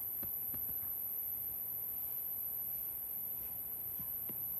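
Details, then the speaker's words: Laptop: faint steady high-pitched whine with low hiss and clicks from speaker, at first mistaken for fan or battery noise, caused by the microphone's "listen to this device" option feeding into the speaker; unchecking it fixed it. "But after some research and from good help from Reddit, I found out that this was coming from the speaker. And it was because about few days ago I had clicked an option which said sound recording re stereo and listen to this device."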